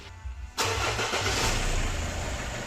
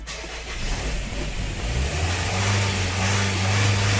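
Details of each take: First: Nissan Murano Z51 2.5 common-rail diesel, cold engine, after fixing a key fault found by oscilloscope (previously stalled after cold start): short crank, fires immediately and holds steady idle without stalling or throttle; normal cold start. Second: Nissan Murano Z51 2.5 common-rail diesel started cold after glow plugs: it runs unevenly and is kept alive by throttle blips, with revs rising and sagging. It stalls when the throttle is released but idles fine after 5–7 minutes of warming.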